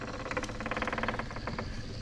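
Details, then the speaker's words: John Deere 1025R subcompact tractor at 200-hour service, engine off, key one click after fuel filter change: quick pulsing electric fuel pump buzz priming and filling the new filter; normal. "since we've changed fuel filters now we need to prime the fuel system and you do that by turning the key one click"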